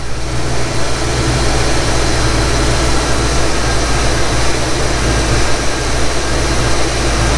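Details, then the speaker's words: 1991 Foxbody Mustang GT V8 on a true cold start after a throttle body overhaul: it idles with a steady, deep low rumble that settles and holds. It no longer hunts for idle as it did before. Normal idle. "well that's a heck of a lot better than what it was before i'll tell you that much yep that fixed it"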